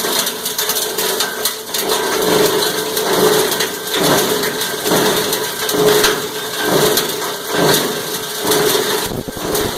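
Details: Cumberland 7.5 hp granulator, 12x12 chamber, chopping about 10 lb of stranded insulated copper wire: grinding chatter swelling and easing about once a second as load surges; normal running under load.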